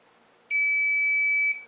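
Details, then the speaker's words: Old 2014 Lorex security camera recorder (LHV100800), hard drive replaced a couple of years ago: one clean, high, steady beep about a second, then silence; constant alarm with errors for two weeks, logs only say alarm, recorder fan not turning. "I put in a new hard drive a couple of years ago, and now it's just beeping constantly and erroring, having errors in that, and can't quite figure it out."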